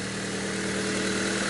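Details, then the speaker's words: 1998 Honda Civic, just rebuilt after arriving on a tow truck: fuel injectors cleaned, new iridium spark plugs, plug wires, sump, fresh oil and filter. First start shows a smooth, steady idle with an even hum and no valve ticking. Engine running healthy. "Ó, não bateu válvula. Não bateu válvula. Muito bom."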